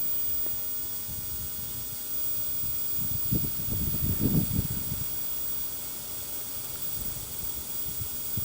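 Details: RCA CTC16 round-tube vintage TV with substitute flyback, rectifier and shunt tubes out, brought up on variac: steady hiss with thin high whistle and low bumps, boost about 660 V against a supposed 975; flyback high-voltage corona and ozone.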